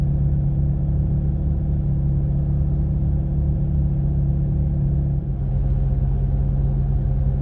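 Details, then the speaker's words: 2004 Vauxhall Corsa C petrol engine running after the engine bay was jet-washed and degreased: deep, slightly uneven rumble with a stumbling beat; misfire suspected from water in the ignition, not confirmed. "Corsa's misfiring at the moment because it's got wet."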